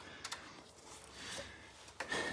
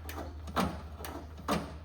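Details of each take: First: Cub Cadet 1440 mower carburetor fuel solenoid (Briggs & Stratton carb) tested with the key switched on: a few light, sharp clicks in a quiet room; the solenoid pulls in properly. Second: Cub Cadet 682 lawn tractor: two brief rasping scrapes as the throttle lever is worked over a low steady hum; the throttle cable is bent and sticking in its housing, handle loose, so the cable is being replaced.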